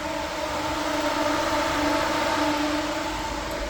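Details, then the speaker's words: Electric cooling fan switched on via Infinitybox legacy smart wiring keyfob fan override (one click plus trunk button); steady even whir with constant hum, no surging or scraping; normal cooling fan operation. "So it should be one click and then press the trunk button and the fan should come on."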